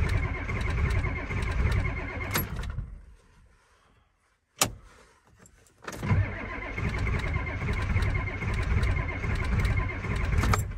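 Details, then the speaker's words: Ford F250 7.3 IDI diesel cold start after reassembling glow plug relay wiring: starter grinds steadily about four turns a second, pauses, cranks again, never fires; no-start, glow plugs not working. "okay we'll just try it okay wait a minute yeah see the glow plug isn't working"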